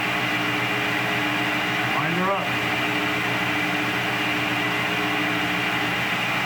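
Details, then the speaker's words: Belt-drive table saw motor, remounted and oiled, first startup in over 10 years: steady, even hum with a brief rising whir as it winds up, no rattle or grinding; runs healthy. "so just plug it in turn it on see how she sounds all right how's your sound oh pretty good"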